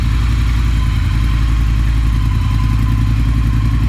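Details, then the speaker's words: Triumph Thruxton R twin after catalytic converter removal and Motone X-Pipe install, first start: steady deep even burble, no knocks or rattles, sounds better; needs warm-up until fan runs to remap. Normal running. "sounds like it's running pretty good [Music] definitely sounds better"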